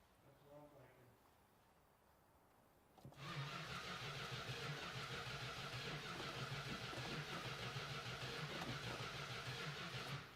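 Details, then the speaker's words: Dodge Hemi Daytona automatic, first start attempt, third try with a little gas: the starter cranks fast and even for about seven seconds with no firing. Timing is thought close; no spark through the coil is suspected. Crank, no start. "Try it a third time, please. I'm not optimistic. I don't feel like we're getting fire."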